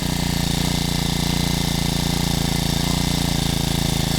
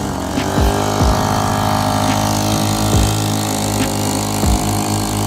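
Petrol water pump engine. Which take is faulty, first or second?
second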